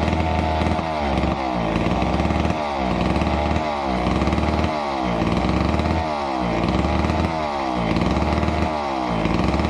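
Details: Neglected old McCulloch Super 250 chainsaw revived: runs crisp and steady, picks up cleanly on throttle blips, smooth burble between revs, purring along healthily.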